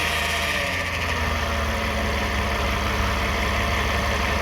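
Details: 2009 Toyota Sienna FWD idling after a transmission drain and fill. A steady buzzing whine holds constant over a smooth idle, source unknown. The owner wonders about the transmission pump, torque converter or bearings and thinks the flex plate is okay.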